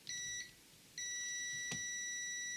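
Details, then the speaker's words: TV power supply line tested with multimeter continuity after removing and checking an SMD capacitor, which was good: two steady high-pitched beeps, second held continuously; supply line still shorted to ground. "je vais en profiter pour refaire la mesure et là vous allez entendre que ça BIPE toujours"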